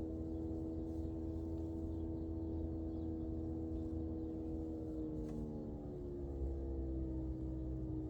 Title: Prius prime HVAC buzzing noise, maybe auxiliary heat pump going out?